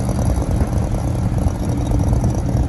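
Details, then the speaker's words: Meat freezer compressor restarted after shaking it, condenser coil still dirty: steady low drone with fine busy chatter; owner suspects internals rattling loose inside the compressor, unconfirmed. "hear that the internals of the compressor rattling around the compressor wasn't running and i shook it and it started"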